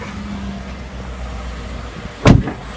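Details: 2013 Ford F-150 5.0L V8, after a repair for a cold-start knock that developed at 40,000 km and was silent at hot idle: smooth, low, even idle rumble with no knocking except one brief thump; noise gone after the repair.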